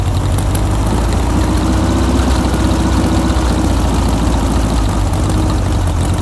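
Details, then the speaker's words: Barn-find 1967–68-ish air-cooled VW Empi IMP dune buggy, first run after revival: loud, steady flat-four burble at idle with an even beat and no knocks, ticks or stumbles, running normally. "Wow, that thing runs good. Sounds good."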